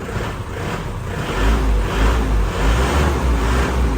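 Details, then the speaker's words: 2004 Isuzu Panther LS Turbo diesel at idle, heard outside then with the door shut: low, even rumble with no knocks or rattles; cabin described as still very quiet, rpm gauge working. "kita tutup pintunya Nah masih sangat senyap Ya bos-bosku semua masih sangat senyap"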